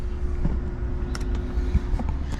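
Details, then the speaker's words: BMW N54 single-turbo with BSD faults, engine off: the electric coolant pump keeps running with a steady mid-pitched hum and light clicks. It randomly primes about every minute and whenever a door opens. "okay now the water pump is still going in fact i might go and unplug it from the boot we're not running the engine at the moment"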